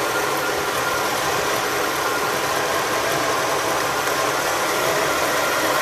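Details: 1985 Oldsmobile Delta 88 with the 5.0 V8 after the squealing shared fan belt was fixed by removing the power steering belt and running the alternator belt only: steady, even idle with a soft hiss and no squeal or chirp.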